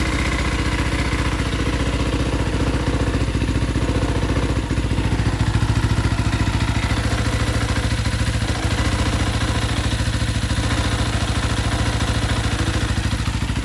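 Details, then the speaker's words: Engine idling lumpy on choke: ragged, uneven clatter with the clutch engaged that goes away when the clutch is pulled in. A bearing is suspected but not confirmed. The clutch is believed not stuck. "Almost like the when I let the clutch choke, I hear that bearing. Pull the clutch in, it goes away."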